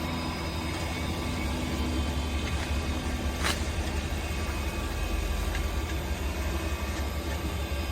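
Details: Vintage IBM 486 SLC2 powering on: a steady low fan and power-supply hum with faint drive ticks and no rattles or squeals; it turns on okay but takes a while to power up.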